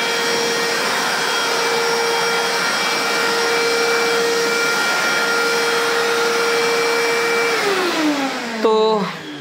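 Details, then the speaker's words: Kärcher WD 3 wet/dry vacuum in its final test after repair; it had been used without a filter, clogged with debris, and had vibrated and droned: a clean, steady, powerful whine for seven seconds, then a smooth wind-down. No rattle, running normally. "बहुत जबरदस्त तरीके से काम कर रहा है और अच्छा पावरफुल है"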